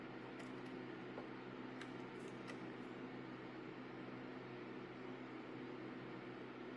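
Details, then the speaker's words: Apple iMac G3 Blueberry e-waste rescue powered on in a quiet room: only a faint steady electrical hum and whine as the CRT activates, no drive spin-up or seek noises, no smoke, pop or fizz; the computer does not boot. "so let's hit the power button I hear the CRT activate let's just see if things fire up well I'm not hearing anything else going on in there hit the button again"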